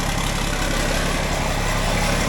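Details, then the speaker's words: John Deere 4640 diesel tractor during radiator repair, started cold after sitting, battery charged: deep, steady idle with an even low rumble and no misses or knocks; normal cold idle. "normally it carries on more than that when uh try oh don't let him rev it up a little bit and let it let it warm up"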